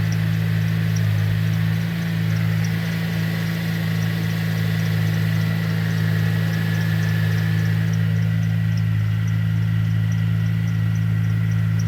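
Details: Pontiac G8 cold start: faint wavering high belt squeal over idle hum, only when cold, stops once warm; belt, tensioner and pulley already replaced, noise gone a month then returned.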